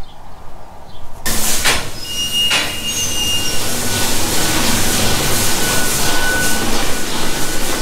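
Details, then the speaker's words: Old vacuum pump in a dairy cowshed on its last milking before replacement, a pump the farmer calls worn out: a loud steady mechanical roar with a rough low throb and high rattle. "oh good so that is our last milking with that making that sound it's going to be pretty interesting to see what it sounds like tomorrow"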